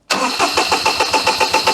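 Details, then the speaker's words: 2006 Daihatsu Charade (Cuore/Mira) L251 with a swapped engine, cranking with a test spark plug. Steady, fast starter cranking with even compression pulses but no firing; no spark is confirmed, and every connection needs checking. "nothing no okay that kind of confirms it we've got no spark so i think we need to check every connection"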